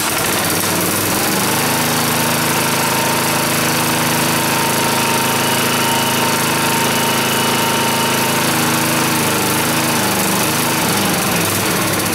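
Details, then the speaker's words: Montgomery Ward GX7, first start in 37 years: catches and runs steadily about nine seconds on squirted-in gas, then winds down and quits. The float bowl and needle valve are badly gummed; the carburetor needs an overhaul, perhaps an acid or vinegar soak. "she runs yeah fire in the hole well obviously I need to do a carburetor overhaul"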